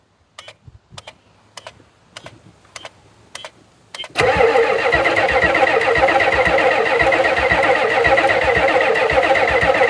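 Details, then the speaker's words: 1991 Ford F350 dually, 7.3 IDI diesel, unrun since 2010: starter clicks about every half second, then catches and runs rough and loud for a couple of seconds; no knocking heard. Owner says it's not getting enough fuel; cause unconfirmed. "So It only ran for a couple of seconds, but she ran. She actually ran. Just not getting enough fuel."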